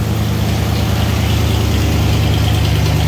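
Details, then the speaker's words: 1993 Ford Bronco just started: a loud, even low V8 rumble at idle with a steady beat and no misses or tapping; idling fine, just very loud. "loud i know she's loud like straight but she's running"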